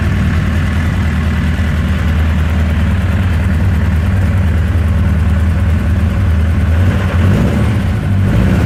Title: Rough Idle